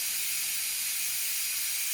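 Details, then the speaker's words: Instant Pot after cooking brown rice: loud, even, high hiss of steam rushing out with no low end, a normal manual pressure release lasting about one to two minutes. "All the steam's coming out of it. I'm sure you can see that steam coming out of there. That's going to take about 1 minute, 2 minutes just to release all that pressure."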